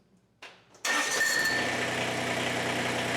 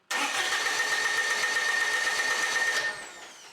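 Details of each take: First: Kubota BX25 diesel tractor, warm, started without touching the throttle after replacing the fuel shut-off solenoid that caused extended crank: quick crank, catches right away, steady even idle; normal start and idle. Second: Warmed-up Kubota BX25 diesel, glow plugs used, cranks evenly about four compressions a second at idle throttle but never fires; starts only when throttle is advanced past a click; faulty fuel shutoff solenoid.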